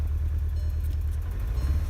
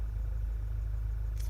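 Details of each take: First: 2012 VW GTI 2.0 turbo petrol starts and settles into a lumpy, stumbling idle; scanner shows cylinder 4 and cylinder 2 misfire codes, probably bad ignition coils. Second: 2012 VW GTI 2.0 turbo idling after ignition coil and spark plug replacement for a flashing check engine light: a steady, even low rumble with no misses; the scan shows zero codes.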